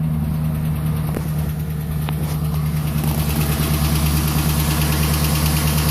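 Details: 2011 Silverado 5.3L V8, 126,000 km, after sitting 8 hours at +12°C: hard start, then knocking followed by ticking, with a light irregular tick over a rough idle and occasional knock; valve cover with built-in PCV recently replaced; cause unknown.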